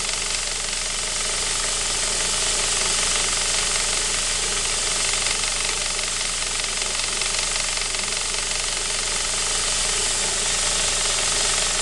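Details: Saab 9-5 B235, cold engine only: a fast, fairly regular clatter of about four per second on top of the cold idle. Owner suspects the timing chain; not confirmed.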